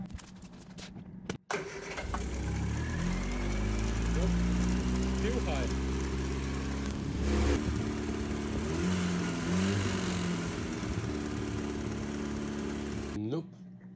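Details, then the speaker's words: Triumph Spitfire 1500 idling after loosening the throttle cable: steady, even but fast idle that never drops; idles far too high, carb to be removed, owner suspects the throttle plate is stuck open or bent. "still runs super high so I guess we're gonna have to take the carb off"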